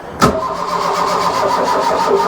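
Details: Mk1 Ford Fiesta Ghia 1.1 barn find, choke on, jump pack connected: sharp click, then steady rhythmic cranking churn that never catches. Cranking no-start; they suspect the starter motor, which only cranks about 10 seconds, not the battery.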